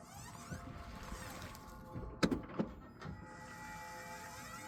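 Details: 2025 Toyota Camry LE at 300 miles, faint steady high squeal while rolling slowly forward, reverse and neutral, with a couple of thumps; transaxle seal failure.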